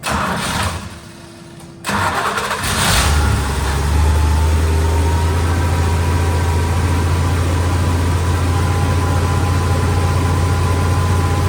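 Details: 71–72 350 engine in a split-window Corvette coupe, not run in about 30 years, electric fuel pump, ignition jumped, warming up; steady high idle that stays fast despite the idle screw being all the way out, fast idle.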